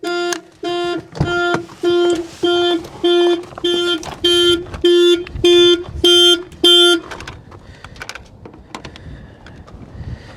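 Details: BMW listed as mechanically damaged, at a salvage auction, on a jump pack showing 11.6 volts: about eleven evenly spaced two-tone horn blasts, under two per second, then it stops; the car alarm went off.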